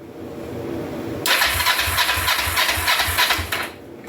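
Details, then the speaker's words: 2004 Kawasaki Vulcan 500 stored two or three years, key on, on choke after waiting for fuel to reach the carbs, some dash plugs unhooked: about two and a half seconds of even cranking, roughly three compressions a second, never taking; no fuel reaching the carbs suspected. "all right I'm going to pop the screws loose on these float balls and see if I'm getting gas all the way down"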